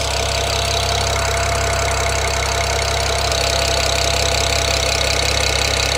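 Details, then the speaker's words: BMW E92 335i with swapped N54 engine idling during its first heat cycle, water 60 °C, oil 37 °C: even steady idle with no ticking or knocking, unlike the old engine's audible tick; normal. "but the engine sounds really smooth my old e92 engine had an audible tip when you left it idling like this so this sounds better hopefully it"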